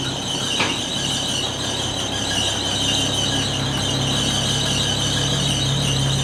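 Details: 1980 Chevy C10 square body pickup, long-abandoned, running after the fuel line was put back together: loud, continuous high-pitched squeal rides steadily over the idle, loose accessory belt slipping. Loose drive belt squeal.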